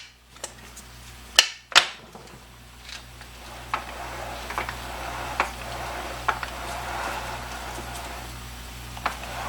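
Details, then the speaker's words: Low-mileage (75k original miles) replacement T5 transmission for a 1986 Mustang GT, shaft rocked back and forth: scattered soft clunks of ordinary gear lash without the click from the old T5's suspected chipped tooth; healthy. "it has the standards the backwards and forwards sound it would make but not that click"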